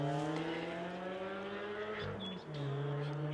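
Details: Steady, loud, boomy exhaust drone from a car passing during hay mowing, dipping briefly then returning. The speaker attributes such noise to local 4-cylinder Hondas fitted with giant mufflers.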